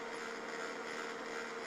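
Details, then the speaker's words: HP LaserJet 1200 humming constantly with the green light on but never reaching ready: a steady, unbroken mid-pitch hum from a faulty laser scanner unit, and replacing the laser unit fixed it. "всем добрый день на ремонте принтер hp laserjet 1200 с неисправностью постоянно гуллит не входит в готовность"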